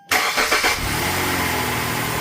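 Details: V6 started after a timing and camshaft phaser rattle repair, oil pressure drained during the work: short crank, quick catch, then a smooth steady idle with no rattle or knock.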